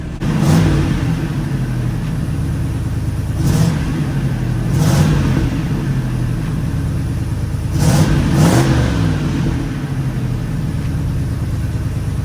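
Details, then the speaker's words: 1986 Oldsmobile Cutlass 442 G-body after exhaust leak repair: several smooth throttle blips rising and falling cleanly over a low, quiet idle, no ticking or puffing; exhaust now sealed and quiet. "now you can hear how quiet it is it's a lot smoother now see i put my arkansas plates the market's outplays now listen to the engine and sound like a little sewing machine"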